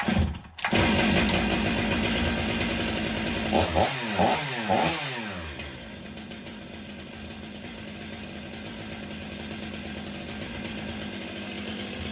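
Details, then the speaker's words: Stihl MS 500i chainsaw after repair: no hesitation or stalling, but a loping, uneven idle that sags and bogs, seemingly running rich. The owner suspects the computer is still compensating for a fuel pump that was not working properly. "It seems to be running rich at idle. You can hear it kind of bogging down."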